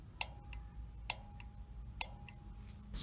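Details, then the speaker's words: Honeywell water heater gas valve bench-tested by battery: three sharp, crisp clicks about a second apart as the main burner solenoid opens, so the valve works. "if it's working it will click you'll hear a clicking noise which is that valve opening up"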